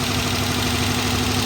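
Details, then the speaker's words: 2011 Dodge Charger PPV 5.7 L V8, running about 30 minutes, has a rough idle with a steady light tapping that hasn't improved since startup and a steady misfire; seems to come from the top, side unknown. "it has not improved it's been tapping just how you hear right now from the minute i started it and it has not improved it also has a steady misfire can't tell what side of the motor is coming from it almost sounds like it's coming from the top"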